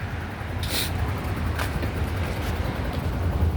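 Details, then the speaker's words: Yamaha Grand Filano scooter, 30,000+ km, after repair of loud engine noise from a cracked valve guide and bent valve: reassembled with new seal and fresh engine oil; low steady exhaust putter at idle, even beat, no tapping or knocking; normal idle. "อ่ะเสียงท่อประมาณนี้นี่สตาร์ทอยู่นะครับก็ประมาณนี้"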